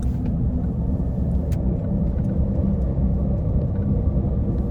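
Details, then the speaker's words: Vehicle driving: steady low growling, roaring rotational noise under road noise, loud in the cabin and typically worse with speed and in turns: wheel bearing growl. "Yep, that's a wheel bearing. This is probably the most common symptom. It can get pretty loud inside the cabin, and it usually gets worse the faster you go."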